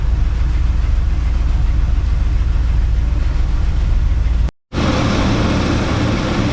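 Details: 1980 Cadillac Deville on its first start of spring after about six months of storage in Minnesota: a deep, even low rumble holds steady, briefly drops out, then returns just as smooth. Normal idle.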